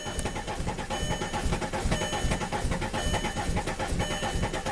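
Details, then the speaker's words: 2005 VW Passat TDI diesel, crank no-start after cylinder head and camshaft swap: rhythmic starter cranking about two beats a second, no firing, while purging air from the fuel system with pressure rising to 15 psi. No start due to air in fuel. "That's promising. We're up to 15. I'm just gonna keep purging air out until it's happy. And try again."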